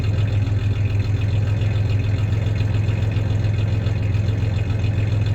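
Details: 1993 Ford Ranger 3.0 V6 idling with a slight misfire and a little rev; steady low idle with an uneven, loping pulse and occasional dropped beats; clanking is bed tie-downs, not the misfire.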